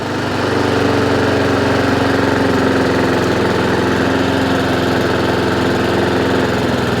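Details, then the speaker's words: Honda IZY 19-inch petrol lawnmower after carburettor fuel-leak repair and service, revs raised slightly via governor arm after earlier hunting/surging; steady, even engine note at constant speed, no hunting, doesn't cut out at idle: normal running. "also just turned the revs up slightly as well by adjusting the governor arm I have got a video on that as well so it sounds better the last time it went idle"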